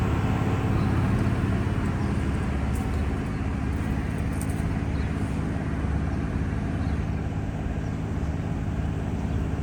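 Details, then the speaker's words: Diesel-driven fire sprinkler pump on test with the isolation valve closed: a deep, even diesel drone holding steady with no knocks, misses or surging; the engine is healthy under test. "This pump gets ran every month for 10 minutes just to test it, make sure it works right and it comes on in case there's a fire."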